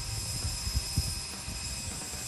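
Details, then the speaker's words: Radio Shack Sonic Thunder RC truck (Tamiya Midnight Pumpkin clone), modded, two-speed gearbox in high gear on 3S: steady motor whine with rough clunks and rattles when braking; gears crunch instead of holding. "that's uh that's the problem i hit the brake and it uh doesn't realize that it's got a break and goes into crunch mode with the gears"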